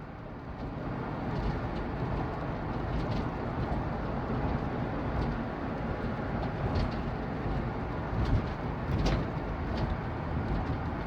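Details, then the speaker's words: Van/truck driven after all four shocks were replaced: irregular sharp clunks and rattles from the rear over bumps and road rumble, from a loose rear shock bolt with play on the passenger side. "okay when you drive here this uh clunking noise from the the back of your vehicle"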